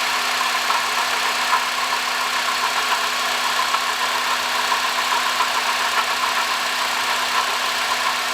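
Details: 2005 Honda Odyssey, 268,167 km, idling: constant rough hiss-like whir with a faint steady hum, no knock; worn water pump bearing noise, cured by replacing the water pump, thermostat, thermo switch and coolant.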